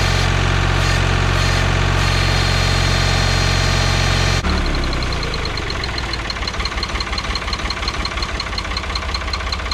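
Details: 1985 Ford 545A backhoe, 3-cylinder Ford diesel, cold start after rebuilt injector pump installed: steady, even clatter about three beats a second, no misses; runs good but hydraulic pump very slow; normal idle.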